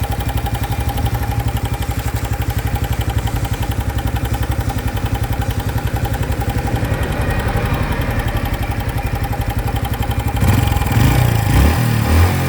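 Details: 2025 Honda Biz motorcycle, new engine noise that appeared after riding under 70 km/h: rapid, even clatter about four beats per second at idle, then heavier rumble near the end; abnormal engine noise, cause unknown.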